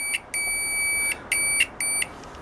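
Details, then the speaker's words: Cheap multimeter on continuity mode after its weak buzzer was replaced with a louder microwave-oven buzzer; loud clean high-pitched beeps, about five of uneven length as probes touch and lift. Continuity buzzer working well. "mucho mejor amigos mucho mejor es muy fácil instalarle este"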